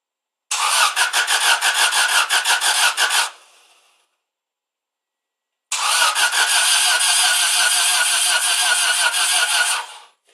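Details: 1995 Subaru Impreza WRX cranking twice at about three turns a second with no firing and no compression pulses; one or more valves stuck open, so no compression and no start. Later freed by towing it in gear.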